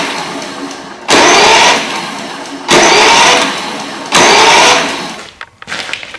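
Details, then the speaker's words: Brand new Toro 21464 Personal Pace mower, Briggs & Stratton engine, electric start blowing starter fuse: with spark plug removed, three bursts of fast free whirring, not cutting out; starter spins freely without compression, locks with plug in. "i took the spark plug out and removed the wire obviously i'm going to turn it over and show you exactly what it sounds like"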